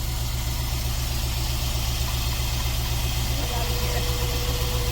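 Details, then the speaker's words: 1991 C4 Corvette at idle, out of gear, after fixing an exhaust rattle: steady, even low idle with no rattle or tapping; normal, though a front misfire is suspected. "there's no rattle anymore and it sounds so good"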